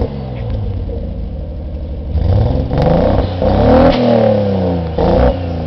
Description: My 1991 Nissan 240sx with an RB20DET Swap.. and other stuff sounds like a wicked bad miss fire..